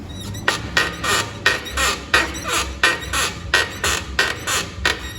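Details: Chevrolet Chevette front suspension, one side, wheel worked up and down: squeaky creak about every 0.7 s, like dry metal on metal; steering also stiff with play, owner suspects tie rod end, ball joints or control arm bushings; suspension creak.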